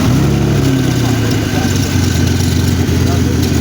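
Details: BMW 3 Series with a throttle body and wiring converted from MS43 to MS42, first start after the conversion: a steady, even idle with a smooth low hum and no knocks, misses or hunting, so the engine runs cleanly.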